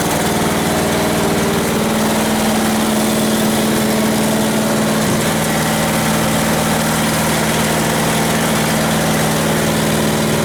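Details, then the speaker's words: Westwood T1200 garden tractor out of winter storage, started first time: small single engine idling with steady constant hum, no stumbles, rattles or speed swings; normal healthy idle. "no that's it just started first time just got a little bit you're very sweet little engine"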